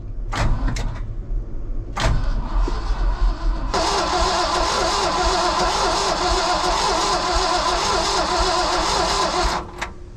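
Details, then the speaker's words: International V345 dump truck engine, 13,000 miles shown, sat about 22 years: short bursts then long steady crank at good even speed that never fires; possible dead cylinder suspected, dry where fuel was checked, fuel pump suspected not working. "it's a pretty good sound and crank sounds like it may have a a dead hole on one cylinder I don't hear anything pumping"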